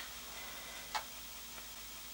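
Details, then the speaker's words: Commodore 1541-II floppy drive after cleaning, lubrication and head cleaning, loading a game: light crisp head-step ticks over quiet hum, no crunching or grinding as before servicing; drive light blinking. Normal head seek ticking. "it's not making as much crunching noise as it did before so that you know that gives a good sign the uh light is blinking view of that"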